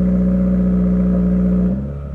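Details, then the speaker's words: Subaru WRX with Greddy Type S blow-off valve, idling at 2000 rpm: steady high drone then dropping back, with no turbo whoosh or valve release and no boost on the gauge; owner suspects the blow-off valve loose or intercooler piping. "I mean, when I start it up, it still idles at 2000 RPM. So that hasn't changed."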